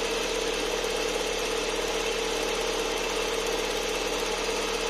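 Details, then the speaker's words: Lada Vesta at idle while warming up, when the computer triggers the evaporative canister purge valve; rapid dry ticking chatter over quiet idle; EVAP purge valve ticking, fixed by adjusting the valve. "заведем наш весточку сейчас она прогреется компьютер даст сигнал сработает датчик мы слышим характерный звук клапана"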